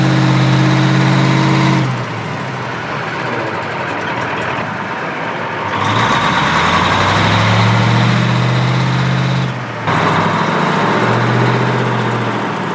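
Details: American 2380 20-ton military crane diesel, first start without starting fluid. Deep, steady rumble settles into an even idle after a brief drop; runs smoothly though smoking, with unknown leaks.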